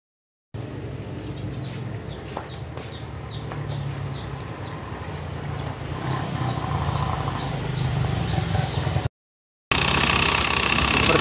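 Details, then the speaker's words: Honda Beat FI scooter with a snapped CVT drive belt, worn from age; a cracked belt must be replaced. Rough, scraping clatter with a steady tick about four a second from the CVT area while the engine runs, but the scooter won't drive and the wheel won't turn. "ya, suaranya kasar sekali. Juga tidak mau jalan, teman-teman. Dan tidak mau muter."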